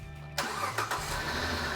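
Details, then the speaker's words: Engine started after a knock was fixed by replacing a tensioner; catches quickly and settles into a steady, even idle with no knock; normal start. "Ah, that's what it's supposed to sound like. Good. You know, it could be massively intimidating, that knock like that, but Dave, this was a relatively inexpensive fix."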